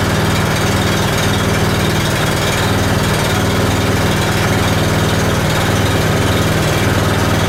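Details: Honda small single-cylinder machine unused since last spring, 6.1 hours on the meter, started cold on choke with the muffler still cold: it holds a steady, even, rapid beat with no stumbles or surges while warming up.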